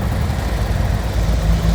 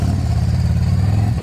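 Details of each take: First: 2024 Harley-Davidson Road Glide, just over 10,000 miles, in limp mode with check engine light: rough uneven revving on one cylinder, little power; failed coil harness connection, previously poorly soldered under warranty. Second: 2024 Harley-Davidson Road Glide after repairing the coil harness that caused limp mode on one cylinder: deep, even V-twin pulls cleanly under throttle with no misfire. Power restored, check engine light still on. Normal revving.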